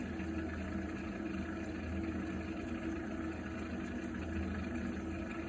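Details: Viessmann Vitodens 100-W B1KF-19 boiler makes a steady low rumbling drone with a faint hum while heating water; abnormal noise.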